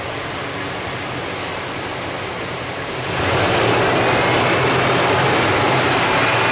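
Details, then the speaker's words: 2001 Dodge Dakota 4.7 V8 after the exhaust leak repair for P0171, quiet smooth raised fast idle with steady hiss and no ticking or puffing; good O2 sensor activity and fuel trims, fix confirmed. "kick her up on a little bit of a faster idle this thing so quiet it kind of reminds me of a Prius"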